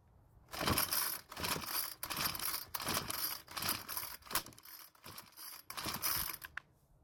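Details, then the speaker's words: 4-cycle string trimmer (model 41EDT57C966), choked after carb and fuel filter work: repeated raspy pull-cord strokes about once a second, never fires; suspected air leak past deformed soft plastic around choke flap stopping the choke working. "so unfortunately it did not start but this is when realize something remember how weak the plastic was on the air filter base well what if the plastic was deformed around the flap for the choke as well if it is deformed and letting air go by it it basically means the choke is not going to work like it should"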